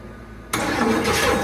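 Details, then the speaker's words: 1979 Cadillac Eldorado with an Oldsmobile 350 V8, sitting 14 years, very cold, spark confirmed: quiet, then a sudden rough burst as the engine catches and stumbles without settling; crank no-start, trying to fire, battery possibly weak. "She wants to. She's getting tight on me. Now, she's starting to feel out the carburetor."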